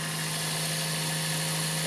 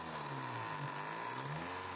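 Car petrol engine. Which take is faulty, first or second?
second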